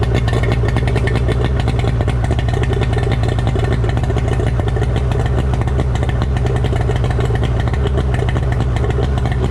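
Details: Suzuki DT65 two-stroke outboard after replacing fuel pump (found mounted upside down) and ignition key: fast, even buzz holding a steady note without misses or surges; now running cleanly.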